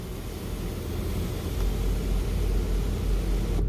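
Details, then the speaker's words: 2014 Ford Explorer power sunroof shade after a sunroof track replacement and shade re-initialization: a steady, low motor hum that stops cleanly, one touch to halfway, one more to fully open. Normal sunshade operation. "So one touch, it'll go halfway like it's supposed to. One touch again, it'll go all the way open like it's supposed to."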